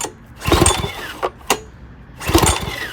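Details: Old six-horsepower Briggs engine from Craftsman 4-in-1 push mower, good compression felt, choke and throttle varied: three quick pull bursts with a few pops, never catching; cranks but won't start.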